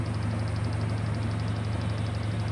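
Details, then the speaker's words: Inverter top-load washing machine in spin after loose parts were tightened: a steady, even low hum of motor and drum with only a faint light ticking, now normal after loud noise during spin. "তো দিয়েছি এখন spin already হচ্ছে তো এখন আপনারা শব্দটা আশা করি খুব কম যেটা নাকি স্বাভাবিক বা নরমাল এটা এতটুক কিছুটা আসে"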